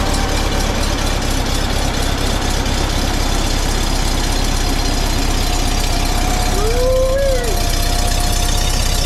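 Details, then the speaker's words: 1952 Volkswagen Beetle split window standard, air-cooled flat-four, running after 40 years sitting once the fuel system was redone, the carburetor cleaned and the stuck needle valve freed: steady, even idle with a soft low chug, no knocks or misses; normal. "she's a runner she's a runner that's correct 40 years minimal work redid the fuel system cleaned the carburetor basically basic stop got her running"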